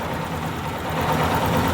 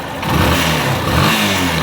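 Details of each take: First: Yamaha Fazer 250 single idling hot with a light, fast tick riding on top from the top end. The cam chain tensioner is suspected and is tested by turning its adjuster counterclockwise with a screwdriver to see if the tick stops. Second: Yamaha Fazer 250 after the cam chain tensioner was repaired: engine revs up and down cleanly with no top-end tapping; the ticking noise is gone and the tensioner is now in perfect condition.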